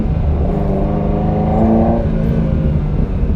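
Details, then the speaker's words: Ferrari 308 V8 on first road test after rebuild, long idling during setup, plugs cleaned: low rumble rising under throttle but lumpy and flat, not firing on all cylinders; misfire, plugs suspected. "Yeah, it's definitely not running right, so that's disappointing. I wonder why it's doing that."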